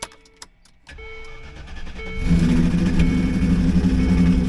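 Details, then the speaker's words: Junk 4x4 dragged home, owner says something is really wrong with it: a few clicks of cranking, then the engine catches into a rough, ragged, uneven run; cause not yet known. "And I just don't want to have to be trying to move it every time it snows, you know what I mean? You know what? I started to do a video about this thing, trying to see what's wrong with it. I'll put a little clip in here. You can see how bad it sounds."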